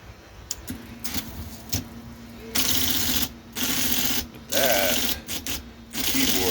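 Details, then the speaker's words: IBM Selectric typewriter after cleaning and oiling its stiff, sticky keyboard: quick bursts of crisp, even keystrikes over a steady motor hum, with no more doubled strikes; the keyboard now types cleanly. "this keyboard is really sticky, but it's feeling really good now. No more doubling, striking."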